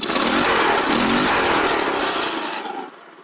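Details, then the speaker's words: Baja Dune 150 buggy with Chinese 150cc engine after rejetting the carburetor with a 110 main jet: brisk, clean rev climbing smoothly without bogging, slight smoke, then fading; engine pulling properly. "So I have rejetted this with a 110, and that is a million times better already. It fogs a little bit, like a little, but it gets up there."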